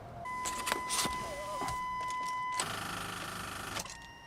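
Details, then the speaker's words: 1996 Chevrolet Blazer, starting attempts with a jump pack on a very weak battery: a few irregular sharp clicks under a steady warning chime with no cranking; gauges starting to move, pointing to a poor battery terminal connection. "Getting more clicks. And like I said, the gauges are actually starting to move now."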